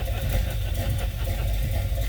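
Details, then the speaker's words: Old AAR El Camino just started: loud, deep loping idle with uneven chop in the exhaust beat; big cam or severe misfire, can't tell which, cause unconfirmed. "you know the problem with these old cars is you can't tell for sure if it's a can or just severely misfire"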